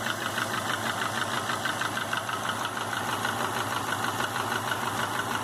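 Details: 2005 Subaru Legacy GT after a refurbished block install (new crank and bearings, used rods, pistons and heads, 22 psi warm idle oil pressure, new plugs, no exhaust leaks, VF40 turbo): regular sharp knock about three per second at warm idle. Cause unknown.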